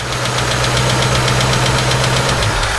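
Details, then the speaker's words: Vintage Ford Mustang at idle: sharp, light ticking about four times a second following engine speed from a loose rocker arm slapping the valve, after re-checking the stud; ticking starting to fade as oil circulates. "I bet you fell off again no just loose so it's still making a bit of a ticking sound but Tim thinks that maybe you just need to run it and get some oil running through"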